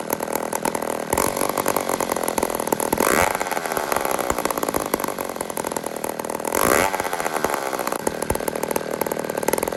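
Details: "150" chainsaw (Toronto, Canada) after carburetor repair: small two-stroke buzzes steadily with a couple of short revs, holds a clean, even idle without stumbling; sounds healthy and runs normally.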